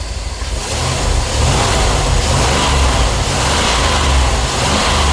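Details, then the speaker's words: Petrol engine after a new coil, cap, rotor, spark plugs and wires fixed misfire from spark tracking: idles evenly, then revs up and holds steady with no stumble or skipped beats. "Got that misfire taken care of."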